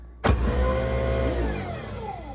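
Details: New replacement garbage disposal, plugged in and switched on before mounting: sharp switch-on click then smooth, steady motor hum with no grinding or rattling; runs normally.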